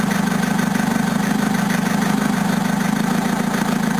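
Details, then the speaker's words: Diesel van engine, recently re-ringed, run on low-flash-point biofuel smelling like thinners: harsh loud knocking about 150 a minute over rough idle; fuel detonating instead of combusting, injection pump likely damaged. "and yeah this stuff's detonating instead of combusting and that's why the engine sounds like it's going to blow itself to Pieces"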